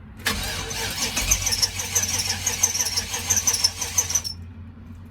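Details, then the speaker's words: 1995 GMC Vandura 2500 box van, 5.7 carbureted, on a jump box: starter churns steadily about four seconds, about three beats a second, with no firing; cranks but won't start, bad fuel pump stated. "it uh does turn over, but it won't fire because it's because it has a bad fuel pump, like I said."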